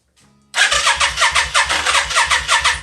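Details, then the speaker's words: 1992 Yamaha Virago XV535 V-twin after engine rebuild: steady starter cranking about three turns a second, never catching; no spark, back-probing the primaries shows no power reaching the ignition coils at all. "There's no power getting to the coils at all."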